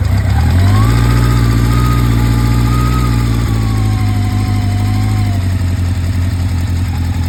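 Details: Honda Nighthawk 700S on a cold day: steady low idle with a faint fast tick, roughly three or four a second, heard from one side of the engine; ticking of unknown origin.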